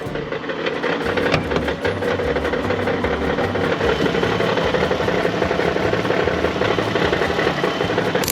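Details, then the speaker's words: Auction minivan: running engine with a loud, uneven knock of about three per second rattling over the idle; a bad internal engine knock, cause unknown. "I hope you heard that how bad it's knocking."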